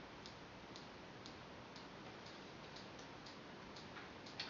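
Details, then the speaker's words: TI CBR 2 motion sensor connected to a TI-Nspire calculator, DataQuest app launched, green light on: crisp, even ticking about twice a second over a faint hiss; the sensor is pinging normally. "if we connect the CBR 2 motion sensor to our calculator you'll notice that the data quest app will launch automatically and the motion sensor green light will come on and you'll hear a clicking sound"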